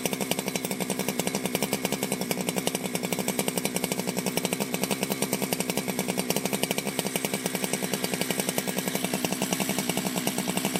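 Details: Ported Jonsered 2071 chainsaw after rework; it had run poorly, like an air leak with a hot case, but no air leaks were found. Rapid, even two-stroke firing holds a steady pace with no misses or sag: normal running.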